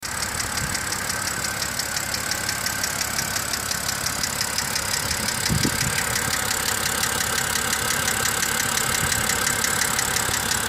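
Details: 2007 BMW X5 E70 3.0si at cold idle with a light, steady top-end ticking from the hydraulic lifters; suspected causes are wrong-spec oil, long oil change intervals and short trips, fixed by warming up, holding 3000 rpm and highway driving.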